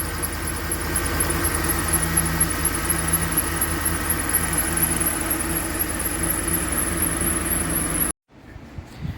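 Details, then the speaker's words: Ford Explorer 2007 V8 4.6L with white smoke, water burning and overheating, no thermostat: uneven, lumpy idle misfire with thin high squeal. "देखो engine सीधा नहीं चल रहा है"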